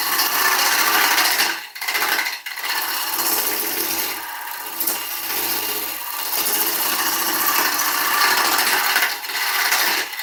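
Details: Ash log turned on lathe for serving bowl: rough scraping cut with fast uneven rattle as the tool rides over the bark rim; chatter from cutting the bark edge.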